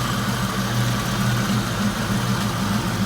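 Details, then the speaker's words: 1992 Mustang GT Foxbody V8 idling after the engine bay was reassembled, running better since an oversized 70 mm throttle body was replaced: a deep, even, steady rumble with no misses or knocks. Running pretty good. "[Music] yes she's running pretty good we're working on it"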